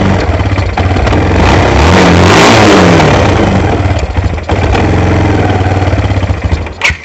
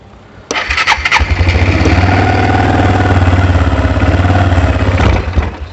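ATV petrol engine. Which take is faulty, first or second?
second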